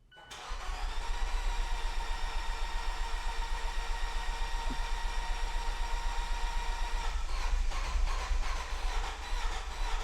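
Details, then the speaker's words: Fiat starting after sitting for months, using a procedure: crank until oil pressure builds and compression returns, then let the pedal go to idle. It catches within a second and settles into a steady, even idle with no knocks or misses; nothing is wrong. "So now you can hear it. It works very nicely. It sounds great. And there's nothing wrong with it."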